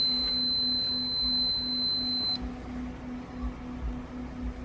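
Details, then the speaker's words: Giandel 1200W inverter powered by a Toyota RAV4 Prime while charging a motorcycle battery: a high whine cuts out, then steady low beeps about twice a second; overload alarm and fault light with no real load, so the inverter is likely failed. "Okay, something crazy is going on. It says this thing is overloading, so I'm gonna shut it off. I've got an overload alarm."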